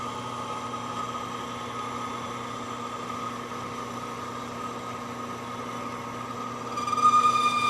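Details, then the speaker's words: Lathe boring the No. 2 Morse taper in a wood-lathe spindle toward 0.700 in: a steady cutting hum, then a louder wavering squeal near the end of the cut as the bar bounces. Boring bar chatter; a 2.5 in bar is to be fitted next. "gets to that last little bit wants to bounce on me"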